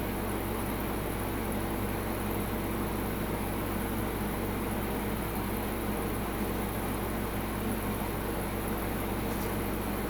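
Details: Midea U-shaped 8000 BTU window AC on high at 108°F outdoor heat, peaking around 877–880 W and 9.5 A, air ice cold; steady even fan rush and compressor hum, no knocks or surging; normal operation on high.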